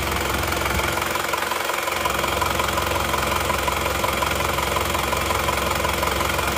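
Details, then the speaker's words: Isuzu Panther LS automatic diesel after swapping the oversized 13 mm rotor head for a racing injection pump rotor head: steady, even clatter about 170 beats per minute, no lumpy miss, much less vibration; normal smooth idle. "Sekarang mari kita starter ternyata suaranya jauh lebih halus dan lebih rata dia juga tidak bergetar seperti sebelumnya ya jadi getarannya sangat halus jauh lebih halus daripada yang 13 mili suara mesinnya pun sangat jauh kedengaran bedanya"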